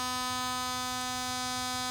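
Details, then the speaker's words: Radiator fan on a solid-state relay, PWM-driven by an MS3/Megasquirt ECU at 10% duty and the highest frequency, powered from a car battery: a strident buzzing whine with no spin-up. The motor is too weak to turn the fan. "that was just 10% can you hear that noise and it's not even able to drive the fan at 10 you can certainly hear the motor"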